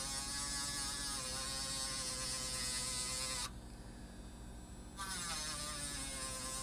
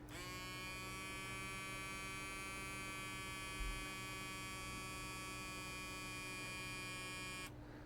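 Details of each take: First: 5 V miniature air pump for a pocket smoke machine gives a steady high buzzing whine with an even pitch and a brief dip midway; running normally. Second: Pump of a pocket-sized vape-component smoke machine run on a tiny 350 mAh, 4 mm lithium-polymer battery: steady high buzz over an even hum for about seven seconds, then it cuts off. Running slower and weaker but working.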